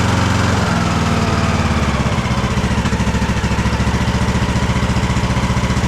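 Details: Craftsman DLT3000 lawn tractor engine, jump-started, oil level full: it surges and hunts with ragged, uneven firing and pops. It is running rough and backfiring through the carb, among its carburettor problems.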